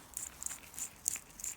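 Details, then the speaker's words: Ford Escort RS Turbo Cosworth old wheel bearing, badly repaired by previous owner and overheated, spun by hand off the car: quiet gritty rasps about three times a second; worn rough bearing, may explain earlier warble. "and that's all properly greased up and with the new bearings you can't even hear them and they're not even greased up yet and obviously that only gets worse when you put pressure on it with the drive shaft"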